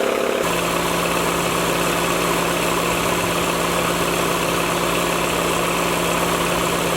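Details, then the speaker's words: Air compressor after head rebuild with new gasket: steady even hum, no knocking, builds to 120 psi and shuts off cleanly; normal operation. "Compressor just cut off, built up to 120 pounds. Looks like we're back in business."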